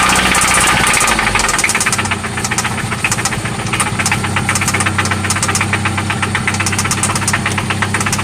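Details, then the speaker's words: 1995 Toyota Celica ST after oil change and new spark plugs; loud sharp knock about four per second over steady idle, seeming to come from one spot; cause unknown; engine knock at idle. "It's loud. Oh yeah. This is what that sounds like. It sounds like it's only coming from here though."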